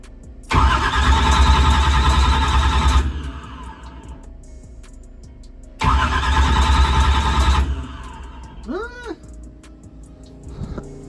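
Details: Drag race car with a new Powermaster Ultra High Speed starter fitted: two sluggish cranking bursts with a heavy even churn, only slightly faster than the old starter. The 16-volt battery drops to 12 volts; owner suspects a bad battery.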